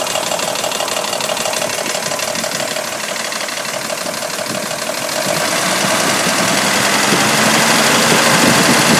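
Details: 1985 Mercedes 500 SEC W126, M117.963 V8 on petrol (LPG-equipped, same sound), passenger side: steady idle with fast even light ticking rattle, about three a second; owner suspects hydraulic lifters, replacing two on cylinder 1 barely helped.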